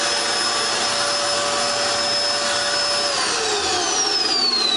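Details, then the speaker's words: Dirt Devil Extreme Quick Vac after brushroll belt replacement (style 15 belt): strong, even motor whine with a steady high tone dropping smoothly in pitch partway; new belt spinning the brush, running normally. "You notice? There you go. The belt's spinning. So the brand new belt, it worked."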